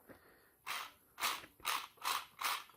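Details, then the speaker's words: 1997 BMW 523i E39 starter, removed, brushes still good: short high-pitched whirring bursts about every half second, spinning freely without engagement; large plastic gear broken so the pinion no longer turns; starter drive gear failure, starter replaced. "Voilà. Donc puisque il n'entraîne plus le pignon ici, étant donné que les trois roues euh la grande roue en plastique, il est cassée."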